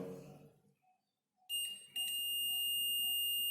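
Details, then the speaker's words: Multimeter continuity test across a wire, one probe at each end: brief probe clicks then a clean, steady unbroken high beep, showing the wire is intact with no cut. "Yes, you can hear the sound also. This is the continuity. That means this wire is correct. There is no cut in between this wire."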